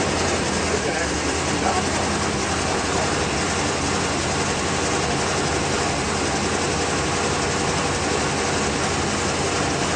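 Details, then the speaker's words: 1987 Chevy truck, 305 TBI V8, first firing on wood gas only, no gasoline and timing not adjusted: steady, even low rumble with no misses or knocks over a constant hiss; normal smooth idle on wood gas. "Oh, look at that. That's without playing with the timing. No. That's it. Running on wood gas only."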